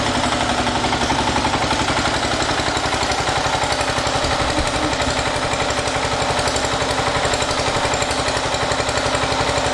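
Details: 1980 John Deere 212 garden tractor, first run after crank seal replacement and oil change: even, regular putter of about four beats a second with no stumbles or knocks; the engine idles cleanly.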